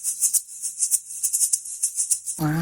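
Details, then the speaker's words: Nissan RB20DET R32, pulley bearing found blown apart with lots of play: loose gritty maraca-like rattle as the pulley is shaken; bearing failed and needs replacing. "She sounds like a maraca. Jose was taking off some stuff. Wait, what? It sounds like a maraca."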